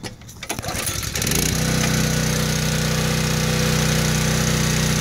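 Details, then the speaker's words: Honda GX200 6.5 hp on a pressure washer, warm and with the choke off, after a carburetor replacement. Before, it would only run at low idle; now it settles into a steady, even high-speed hum with no stumbling or surging. Normal running. "good to go runs like new 25 bucks best price ever enjoy"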